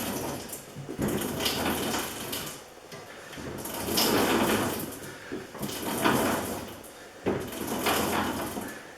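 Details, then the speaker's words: Kubota BX2816 front-mounted snow blower on a BX23S, drive chain just lubed with tacky chain lube and auger turned by hand: soft swishing that swells and fades every couple of seconds, no clunks or binding. Chain rotates freely. "so that's that foreign turns nicely you can hear that change rotating in there nice and sticky"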